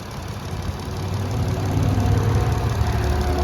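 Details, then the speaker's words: 2020 Jeep Wrangler Sahara with the 3.6 V6 at idle, engine bay clean with no excessive rust or corrosion: a steady, even low rumble with no knocking or ticking; normal, healthy idle. "Awesome, and it sounds good. No knocking, no ticking, and it is the 3.6 engine that everybody loves."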